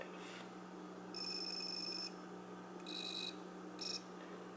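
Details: Amiga 1200 Rev 2B, after replacing the 68-ohm resistor on Lisa's red line: short high beeps each time a chip pin is touched show all four red inputs pulsing with a live signal. The RGB red path is restored.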